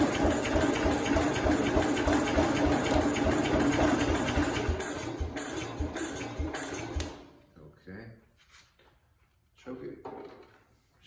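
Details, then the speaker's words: 1969 Cub Cadet 105 tractor after engine reassembly, on its charged battery, ran on the bench: starter churns steadily about three compression beats a second for seven seconds without firing; crank no start, owner suspects flooding. "it seems like we're having some kind of flooding issue which doesn't make sense how is it it started up on the bench you guys saw it we started it up and it ran it tried to start"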